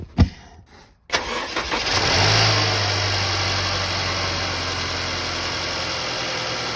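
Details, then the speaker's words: Mercedes-Benz, no oil consumption, cold start: brief crank, quick catch, small flare, then steady quiet idle with low even hum, slight rattle, no knocking; healthy. "you can hear the engine there's a slight rattle to it but it's relatively Pur it's quiet it's similarly noise as our Toyota Camry that we own as well which is brand new"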